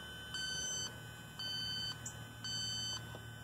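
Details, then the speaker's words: New Rheem R-410A heat pump, under a year old, outdoor unit: Robinair LD7 leak detector chirps in bursts about once a second at the corner of the brass service fitting. Reads about level 2, a very small leak. "every time I go up here I'm getting the leak right at the corner of that brass fitting and that does go up to about a 2 which is very very small"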